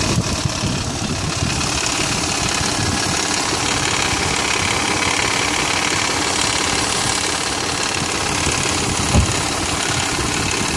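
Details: 2001 Mitsubishi Montero Sport 3.0L 4WD automatic, 225,000 miles, cold start idle recorded from engine bay: loose uneven clatter over engine note, gone after warm-up; slack timing belt slapping, tensioner pulley left disconnected after water pump job.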